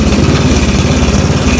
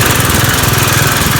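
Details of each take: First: Snapper riding mower: a loud engine with a harsh, heavy throbbing shudder about twice a second once the blade is engaged; the blade is out of balance from a broken lift fin. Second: Snapper riding mower started in neutral after fixing a blade that had fallen off: runs steady and even, blade spinning smoothly, the earlier violent vibration gone.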